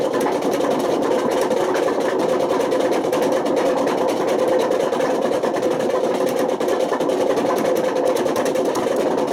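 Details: Washing machine with badly worn drum bearings at high spin: loud, harsh roar with fast grainy flutter; bearings so bad they damaged the spider and wore the motor.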